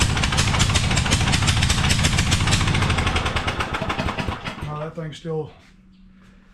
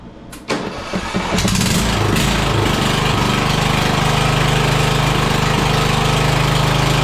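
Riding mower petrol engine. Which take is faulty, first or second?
first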